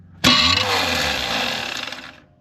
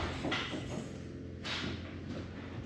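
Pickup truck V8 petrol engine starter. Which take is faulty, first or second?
first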